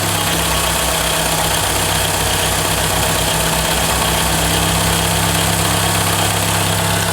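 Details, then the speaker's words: 2012 Toyota Camry 2AR-FE petrol engine idling warm with a loud, harsh screech from the front timing chain area, louder once the oil fully warms. Caused by a worn upper timing chain guide; VVT-i gear rattle also present on cold start. "You hear that? a screeching sound. That's not normal for these. It does get a lot louder than this. This noise is centralized right here, right in the chain area."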